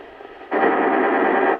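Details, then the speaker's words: Magnavox AW-100, one of the first all-transistor shortwave radios, after repair, powered by a 9-volt test battery and tuned to 16 MHz: steady even static rush with no crackle or dropouts; normal shortwave reception. "So this is on 16 megahertz now. Nice."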